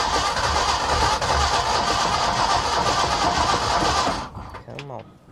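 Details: 1965 Ford F350 FE engine after intake manifold rebuild, new distributor and corrected coil wiring: steady churning crank for about four seconds that never catches, though fuel pump runs and spark present; timing being adjusted.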